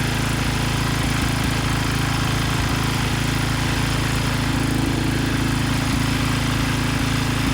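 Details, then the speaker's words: Rebuilt Briggs & Stratton 10hp single-cylinder (model 204312-0171-B1) from a Husky generator, new connecting rod and piston, used crankshaft, after oil-starvation rod failure; first outdoor start, windy: even putter at steady speed, no knocking or misfires; normal running. "But the good news is the engine started right up and it sounds good. So it is ready to be put back on the machine."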